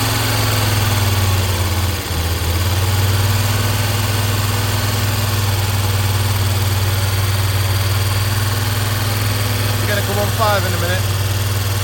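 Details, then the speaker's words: Audi 100 S4 five-cylinder, first run after head work, no radiator or coolant fitted. Uneven, lumpy idle with a steady exhaust beat and one cylinder dropping out. Owner suspects pumped-up hydraulic lifters holding valves open. "I'm pretty confident that it's just hydraulics jacked open that are stopping that from running on all five."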